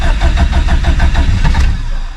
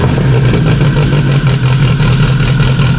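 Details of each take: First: Subaru STI with stock OEM EJ257 longblock, cold about 66° morning, mechanical fuel pump with no lift pump: cold crank with uneven chugging pulses about six a second, stumbling and popping before it half catches; cold-start tune needs work. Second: Freshly installed stock OEM Subaru EJ257 longblock in an 1100+whp STI, first start with a fuel leak under the intake manifold. It holds a deep, even idle rumble with a steady beat and no knocks or misses; normal healthy idle.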